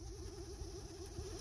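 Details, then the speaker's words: 2013 Honda Civic heater/AC blower motor under the passenger-side glove box, run on low then higher speed: a fan whir with a warbling, fluttering note that pulses like a card on bike spokes. Debris is suspected of touching the blower wheel. "it could be just debris sitting in there and just touching like the old days remember on the bikes that used to put the little playing cards or a baseball card on the spokes and when you ride the wheel it goes all right"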